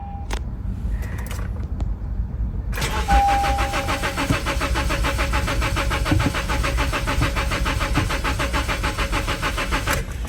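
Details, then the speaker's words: Natural gas (CNG) powered ex-AT&T Honda Civic, CNG system past due for yearly inspection, fuel showing full: steady starter whir with fast even compression pulses for seven seconds, never fires; crank, no start. "Let's see what it does. Uh-oh. Uh-oh. Crank, no start."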